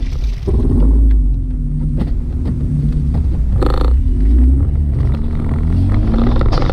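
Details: Jeep front axle under drive load: deep rough rumble with uneven rapid clunking, about four per second; splines on the front axle shaft at the CV end completely rounded off and sheared.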